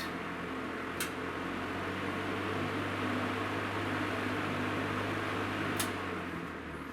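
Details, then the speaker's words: Vintage Breezemaker box fan whose cord and plug make a poor connection and need rewiring: smooth even whir over a low motor hum, then a quiet, clean coast-down; motor runs healthy. "Uh, let's see if it runs. Very nice. Very nice."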